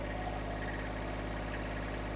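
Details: Kubota B7001 diesel tractor idling after alternator replacement and new radiator hoses, about 10 minutes after first start; quiet, even low idle with steady beat, no knocking or rattles, earlier metallic noise gone, charging normally.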